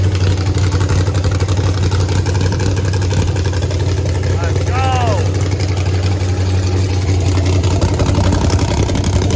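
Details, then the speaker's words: Texas Speed blower (supercharged) engine in the race Blazer, freshly built and first fired the day before Race Week: loud, steady low rumble at a raised idle, no dips or misses. High idle; owner suspects too much air, likely always high on pump gas. "Is it idling high just because this is too much air? You It's think? got a bunch of air. Yeah. I held it down, but I think it's always gonna have a high idle on pump gas."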